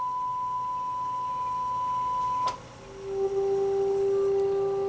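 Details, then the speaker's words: Wavetek 3001 RF signal generator after replacing a bad MC1458 chip, FM modulation heard through a radio: pure steady tone dropping cleanly to a lower steady note, no buzz or warble; modulation clean, though frequency setting still touchy. "let's see what it sounds like i'm just going to take this right here as you can hear on my radio that sounds good"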